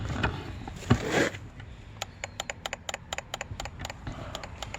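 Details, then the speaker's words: Rebuilt blown-up ATV that still won't run, fuel on: after handling noise, rapid sharp clicks about six per second with no engine turning over; owner says the clicking comes from the battery. "It doesn't want to run. Literally the problem, it just doesn't want to run. So I'm gonna try this now. Fuel on. I don't know if you guys can hear that clicking sound."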